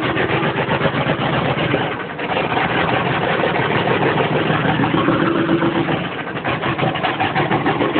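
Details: 1994 Chevy K2500 6.5L diesel, cold start at about 20°F without the block heater plugged in, new injection pump, white-gray smoke: lumpy, uneven running that stumbles with speed dips and a ragged clatter; bad injectors.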